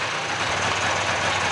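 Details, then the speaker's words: Mid-90s Polaris 400 two-stroke ATV revived from parts, idling on straight gas: steady even idle, busy crackle, no misses or knocks; normal idle, charging 13.8 V, not overcharging. "Yep. 13.8 at idle. Good. It's charging good and it's not overcharging."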